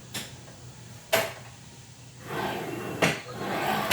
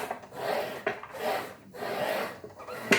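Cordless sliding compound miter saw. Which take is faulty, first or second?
second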